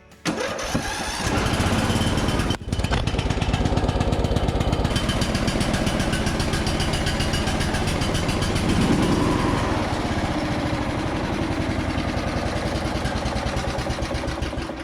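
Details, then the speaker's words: Free Toro 14.38Z zero-turn mower, small engine with a no-spark problem worked on and a grounding wire added; fires, runs rough and uneven for several seconds, then sags and dies, choke choking it; won't idle. "that wasn't too bad except for the camera fell off so it didn't quite idle but the choke was definitely choking it"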